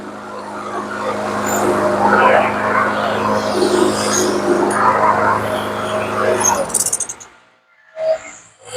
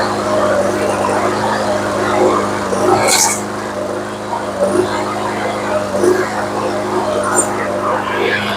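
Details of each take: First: TB360 mower with commercial Briggs & Stratton engine, gummed carb from old gas, ran shaky on the old plug: after new spark plug, runs steady and even about six seconds, no misfires; normal smooth running. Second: Briggs & Stratton commercial engine on a TB360 mower that had old gas and a gummed carb: runs but surges and stumbles every second or two, misfire cured by fitting a new spark plug.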